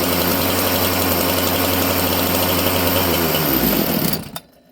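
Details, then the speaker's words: Chainsaw with governed carburetor during low jet adjustment: high, buzzy two-stroke idle climbs as the low jet is turned in and leaned out, then falters and dies at about four seconds; low-speed mixture too lean. "And you'll hear as I turn it in, as it gets leaner, it runs faster until the point where there's not enough fuel and it'll want to die."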